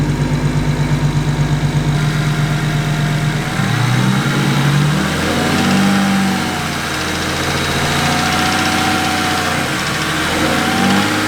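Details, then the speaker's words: BMW 135i with N54 engine after a rough-running fix and a good compression check: fast, light ticking from the top end at idle and on a brief rev; owner suspects a lifter or low oil, possibly the power steering pump. "Bad news, the engine's still making a little bit of noise. It's coming from the top end, and since the compression check was good, I think it could be something as simple as a lifter, maybe even just low on oil, I'm not sure."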